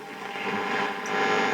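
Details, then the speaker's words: EKCO U243 series-string valve radio at first power-up on medium wave: steady low buzzy hum; mains hum, suspected from poor input filter capacitors or local mains interference, output stage working. "Medium wave. As you can hear, a lot of mains hum, and that's possibly down to it. Poor filter caps on the input."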